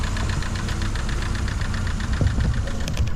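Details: Vauxhall Vectra Envoy 1.6 8v 75bhp, S-reg, about 80,000 miles, just started: quick even ticking over idle from a noisy cam or follower, blamed on many short journeys rather than overall wear; otherwise runs sweet.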